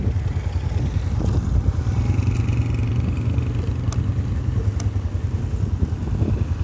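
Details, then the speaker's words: Motorcycle drum brake after cleaning and spring lubrication to fix rain-induced noise; only a steady low rumble as the wheel turns, no scraping or squeal; quiet drum brake. "कर दो है जैसा कि आपने देखा कि Bigg Boss खत्म हो गई तो का तरीका हर ब्रेक व खत्म करने का उम्मीद करता हूं कि आपको यह मालूम"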